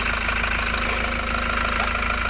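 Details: 2018 Toyota Hiace Commuter after fixing a cranking no-start, timing belt reset: steady, even diesel idle with a constant clatter and no misses, knocks or surges; no check engine light, normal idle.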